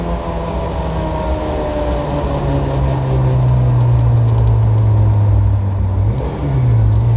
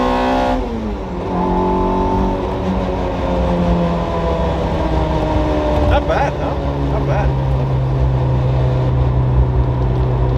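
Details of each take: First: Toyota MR2 Spyder (ZZW30) with freshly swapped 2ZZ-GE engine, first road drive, still untuned with imperfect AFRs: engine note climbs under load with sharper edge at lift (cam changeover), but pull sounds flat and soft, weak acceleration, needs tuning. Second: Toyota MR2 Spyder (ZZW30) freshly swapped with 2ZZ-GE, untuned with imperfect AFRs, first road drive: engine drone climbs with revs, then hardens and turns raspier as VVTL-i high-lift cam engages.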